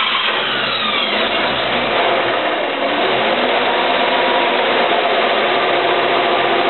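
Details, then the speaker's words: 1951 Chevy 6-volt system, hot engine, after replacing worn starter brushes and rusted brush springs, good grounds and cables: strong even cranking then engine starts and runs; turns over as well as any 12-volt setup. "on turns over just as well as any 12vt setup out there the proper grounds good cabl in a starter"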